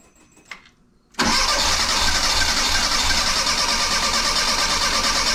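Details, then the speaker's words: 1984 Bertone X1/9, cranking after a new fuel pump holding about 36 psi, with spark confirmed. Injectors 1, 2 and 4 are not spraying and only number 3 works; steady cranking with uneven firing, so no proper start. "so I got three bad injectors they're not moving so I got to find injectors and until then I'm kind of stuck"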